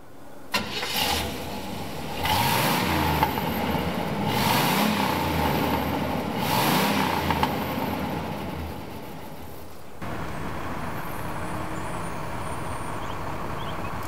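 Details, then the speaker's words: 1970 GMC Fleetside pickup, 350 V8 with Turbo 350 automatic, about 100,000 miles, single exhaust, heard from underneath: prompt start, three clean throttle blips, steady even idle; runs well, though it smokes a little after sitting. "This is your bottom of the engine right here. And this engine, it runs good."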